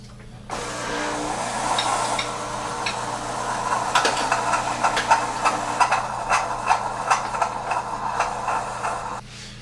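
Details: Breville BES250XL espresso machine after its failed pump was refurbished, frothing milk. Constant low pump buzz under hissing, gurgling steam, with no rattling or labouring. Normal operation.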